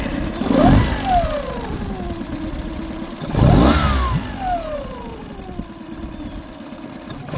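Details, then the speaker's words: Outboard test run after injector cleaning and replacement, fuel bulb primed to bleed air, no leaks: fired right up easily, steady idle then two clean revs falling back smoothly, no stumbling; sounds healthy, though only running it will tell. "And uh said the only the only way to tell is to run it around, burn some fuel out and see how she acts. But fired right up pretty easy."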